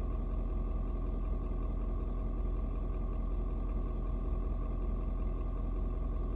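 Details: Ford Super Duty 6.7 diesel, cold start at 56°F: deep, steady rumble with an even beat, no knocks or misses, should mellow out once warm; normal cold idle.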